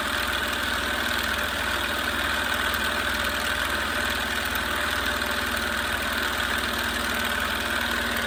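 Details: Small compressor test with unknown pressure-switch setting: steady, buzzy motor-and-piston chatter with no cycling, stuck near 28 PSI short of 30. Wire gets very hot; pressure bleeds off, so it likely needs a check valve. Fails to build pressure.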